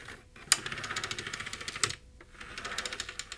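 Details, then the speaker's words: CD-ROM drive of a PowerPC Macintosh 5500/275 after greasing the cogs and tray gears: quick dry ticking, several clicks a second in runs with brief pauses. Still clicking; assumed normal for this drive, unconfirmed. "Now, we're still getting that clicky noise, but everything is greased now. So, I'm going to have to assume that this is normal."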